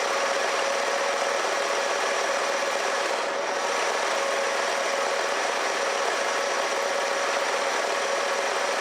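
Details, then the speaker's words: 1969 Lincoln Mark III V8, on its first full warm-up; it had earlier smoked heavily. Steady, even idle with no misses, knocks or hunting, and no blow-by from the valve cover. Normal idle. "no blow by coming out of the valve cover so that's good"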